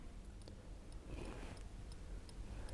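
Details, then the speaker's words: Holden VZ Commodore indicator circuit with power and load jumpered at the fuse-box relay pins to act as the correct-type relay, right-hand indicator on: crisp, evenly spaced ticks about twice a second, so the flasher relay is clicking normally. "now i can hear my indicators relay is ticking i don't know if you can hear it or not i will bring it close to the mic that that relay is clicking"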